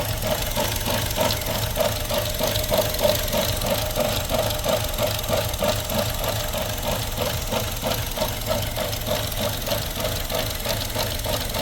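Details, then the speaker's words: 2017 Buick Encore with check engine light and surging: an uneven idle with irregular stumble and a faint hiss; a vacuum leak is suspected, possibly from the PCV system built into the valve cover. "I swear I hear a hissing noise on this thing somewhere hold on a second now one thing these things are notorious for the PCV system creating internal vacuum leaks"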